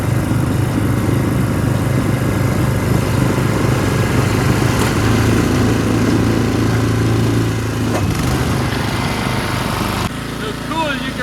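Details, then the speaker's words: Ariens two-stage snow thrower model 11528 with old Tecumseh engine, in drive with auger locked blowing snow; steady low drone holds speed under load, then eases off near the end; normal running under load. "She's working. This thing kind of sticks. There we go. So we'll put it in drive, lock the auger, and she blows the snow."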